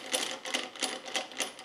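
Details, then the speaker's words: Old Land Rover LT230 centre differential, dry with no oil, with worn or missing thrust washers and too-thin shims, turned by hand: loose metallic clatter in uneven bursts about three times a second; worn thrust washers. "no oil this one see that's the noise it would have been making"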